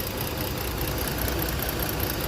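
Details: Ford engine misfiring at idle after another garage and a newly replaced ignition coil; swapping coils leaves the problem on the same cylinder, with supply voltage present (~13 V) but no output from the igniter. Low, uneven, lumpy idle with one dead cylinder.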